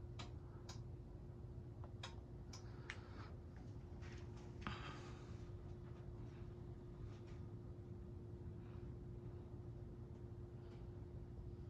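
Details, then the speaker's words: Hampton Bay Windward II ceiling fan dated 09/2002, with 33-watt circular fluorescent light, on low speed: only a faint steady motor hum, no grinding or rattle; initial bearing noise cleared after running overnight on high, now quiet and smooth. "Real quiet fan. When I first put it up, it had a little bearing noise, but I just put it on high and let it run all night, and I came back in here, dead silent."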